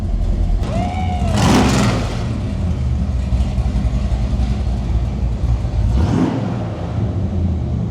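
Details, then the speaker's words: 1967 Chevelle big-block Chevrolet V8 after electric exhaust cutout repair, cutouts opened: deep, loud burble climbing cleanly on two sharp blips and settling evenly; normal healthy running. "so we got this thing all wrapped up and sounding Rowdy again I know the camera does not pick up how Rowdy it sounds it makes a whole lot of noise and a whole lot of the right sounds for a big block Chevrolet"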